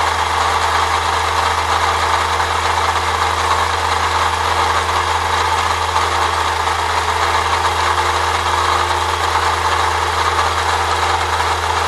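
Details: 1998 Saturn SL2 idling: steady, rough scraping grind from the belt area that persists even with the A/C compressor pulley bypassed by a shorter belt; the water pump is suspected next.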